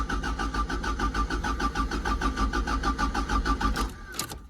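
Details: 1986 Toyota MR2 Mk1 1.6, sat for years (last started 4 years ago), worn bottom end with low oil pressure: even starter cranking at about three compression pulses a second for four seconds, no firing; fuel injection disabled to build oil pressure.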